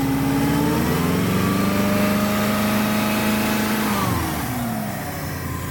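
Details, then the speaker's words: 1994 Subaru Legacy Turbo wagon, new header gaskets, running better, but up pipe split almost in half and blow-off valve bolts left loose. Revs climb and fall with raspy exhaust chuff and hissy edge: exhaust leak plus boost leak. "it's running a lot better with those done at least we also left the blow-off valve bolts loose so that was a battle to boost leak right away"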